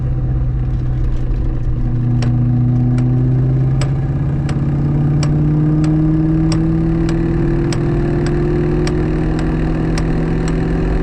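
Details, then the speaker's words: Ford Mustang SVT Cobra manual gearbox after tire shop alignment test drive: steady whine climbing with road speed plus light tick about once a second in second gear, gone after shifting to third; owner suspects second gear is toasted. "Shifting to third and I don't hear it anymore. Second gear is toasted it sounds like."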